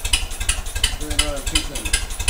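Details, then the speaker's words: 1956 Ferguson TO20 TVO four-cylinder tractor, first run after 8 years, after leads, distributor, tank, plug and carb work, choke off: uneven lumpy exhaust beat with a dropped pulse. Missing on one cylinder, suspected cylinder number one. "yeah so that's what's wrong she is only running on three cylinders it's a four cylinder tractor and you can hear that that's it missing on one cylinder"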